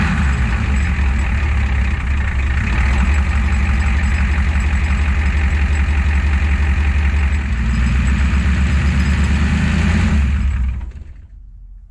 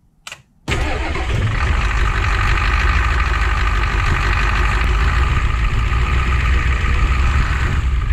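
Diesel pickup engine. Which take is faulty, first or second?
first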